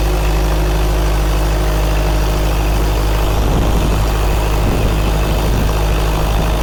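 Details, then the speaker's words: Freshly rebuilt 1931 Ford Model A four-cylinder on water-brake dyno, stock carb and point distributor, before load adjustment; steady low even beat, no knocks or misses; normal running. "I'm going to lighten it now. You'll hear the RPM going up, and then I'm going to load it up heavier. By letting more water into it, it works it harder."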